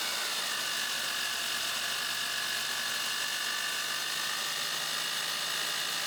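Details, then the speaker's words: 1990 Ford F150 running: steady high whirring whine over the engine with no low rumble; alternator noisy for as long as owned, friction heard once removed, yet still charging 13.4 V. "so even though the alternator technically is charging it's been noisy for as long as I've owned this truck"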